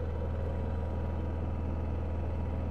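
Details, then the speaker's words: Honda EU7000is generator just after fuel pump replacement, fuel pressure at 43 psi on a test gauge: steady even low hum with no surging, misfire or knock, running "like butter"; normal running. "Oh, that's better. 43, right where she's supposed to be. Like butter."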